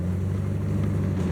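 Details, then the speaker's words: Older truck that sat a long time, one exhaust manifold replaced and the other still needing replacement: steady low idle with faint quick ticking on each firing pulse; exhaust manifold leak. "Of course, I'll have to get the other one. As you can hear, she's a little ticky."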